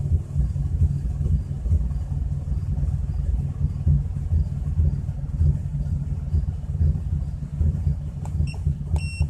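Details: 2004 Chrysler Crossfire being checked with an OBDII scan tool: deep, uneven idle rumble with irregular pulses and occasional stumbles instead of a smooth run; rough idle.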